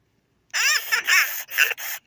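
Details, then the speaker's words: 1998/1999 Furby after replacing the burnt-out speaker with a spare: high chirpy voice in quick bursts, clean and undistorted, no crackling; works completely. "It's not going to burn out again unless the Furby is faulty, but it works completely."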